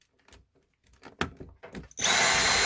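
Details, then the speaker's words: Dyson V6 stick vacuum after filter washed, dried and refitted with its pressed rubber seal spread open by hand: steady, even airy rush with no filter-vibration whine; new filter recommended as best fix. "꽂기 전에 옆에 낀 부분을 이렇게 손으로 벌려서 꽂아주면 소리가 없어져요 조용하죠 아까 앵앵거리는 소리가 나지 않습니다"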